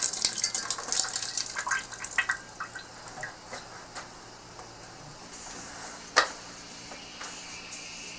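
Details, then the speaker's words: Oil-fired hot water boiler after replacing a rotted, leaking heater manifold pipe: refilling slowly and opening the drain valve gives a sputtering hiss with spitting water that eases off as trapped air bleeds out of the pipe. "So I'm not sure if you can hear this, but as I turn on this valve, you can start hearing the air escape out of the pipe."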